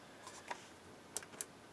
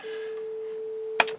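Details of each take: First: Harman Kardon 900+ multichannel receiver after capacitor and resistor restoration, earlier no left channel: a few clicks, then a clean, steady mid-pitched test tone holds level without hum or crackle; receiver output working, still needs alignment. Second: Harman Kardon 900+ quadraphonic multichannel receiver in four-channel mode on auxiliary one, steady test tone: right channel thin, low volume with a buzzy distorted edge, ending in a click; weak distorted channel output.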